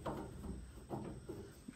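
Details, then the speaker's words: 2005 Duramax prop shaft removed, rear universal joint turned by hand: uneven scraping, grinding bursts from a horrendously notchy joint; another joint loose; the other U-joints and carrier bearing being replaced. "this rear joint here is horrendously notchy the cups do not want to come off"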